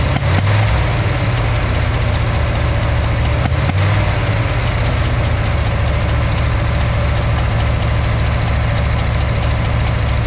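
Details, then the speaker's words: Backfiring V8 (8 cylinders) running with cylinder number 6 plug lead disconnected: low lumpy idle with uneven thump under a steady drone; no noticeable difference with 6 connected or disconnected. "So, tested number 6, as you saw, connected and disconnected. Didn't notice any difference."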